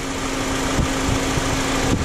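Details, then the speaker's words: Honda Accord/Civic with AC not working: after tapping the relay, a steady mid-pitched hum with a couple of soft clicks holds over the idle as the AC compressor engages and runs; a bad relay is suspected. "all right so right now the ac kicked in just because i tapped the relay"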